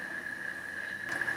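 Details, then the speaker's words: Honeywell QuietSet tower fan after cleaning, lubrication and reassembly, test-run before the covers go back on. A constant high-pitched motor hum over a soft rush of air with no rubbing or rattling; runs smoothly. "And you can go ahead and turn it on at this point. I guess I can plug it in and show you."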